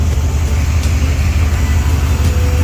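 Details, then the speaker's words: 1956 Ford Thunderbird V8 after fixing a vacuum leak and readjusting the carburetor idle mixture to cure surging; deep even burble with a steady loping beat around 700 rpm, no stumbles or misses, normal idle. "So we're going to call this thing damn near good. Idle's not too bad. It's reading little like around 700."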